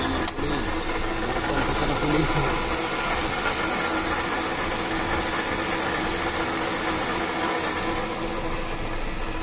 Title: Bad Water Pump Sound. #waterpump #bad #sound #engine #carparts #automobile